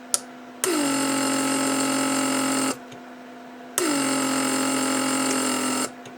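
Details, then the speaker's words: Repaired 1995 Mercedes W140 door lock (PSE) pump, headrest release circuit test: two steady buzzing runs about two seconds each, crisp shutoff; headrests release, pump cycles and shuts off normally. "shuts down it releases your headrests and that's it so that works good"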